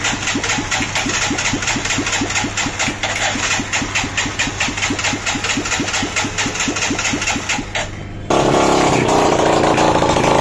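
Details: Bajaj CT single-cylinder motorcycle after an engine noise repair (piston and rings, timing and carburettor set): even thumping about two beats per second, then a smooth steady hum; the engine runs clean.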